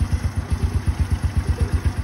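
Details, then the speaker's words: Original 110 cc motorcycle engine, described as very quiet running; steady, even putter at about nine beats a second with no knocks or misses — normal idle. "Máy nổ rất im tiếng là hút gió nhé"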